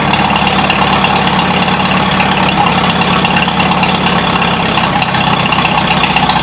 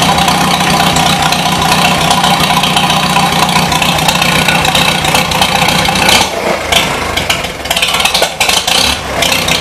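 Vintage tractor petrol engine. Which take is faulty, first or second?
second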